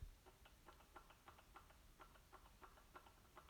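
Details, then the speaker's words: 1981 Yamaha G1 A2 golf cart engine rotated by hand before pulling the cylinder. Light, even ticks about three per second. Internal knock, suspected in the connecting rod. Slop was later felt on the rod through the intake port. Hellacious noise when running. "naturally, when it was running, it was a hellacious noise, and as best we could figure out, it seemed internal to me."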